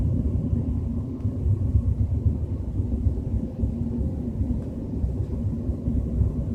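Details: BMW 320i with a deep, steady low rumbling drone under road noise at 30–40 km/h, no clear knock or whine; cause not identified.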